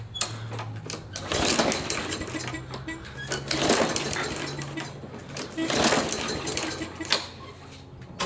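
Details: Briggs & Stratton push mower taken in trade, fuel and oil present: scattered recoil-pull rasps and rattles with no catching or running; cranks but won't fire, later traced to a broken plastic carburetor with loose and missing screws.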